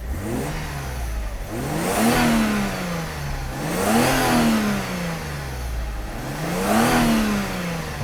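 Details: Mercedes W124 300E-24 (24-valve, 220 hp) after fuel distributor rebuild, six new injectors and spark plugs, idle steady at 900-950 rpm: blipped three times, climbing quickly and cleanly each time before settling to idle; normal free rev.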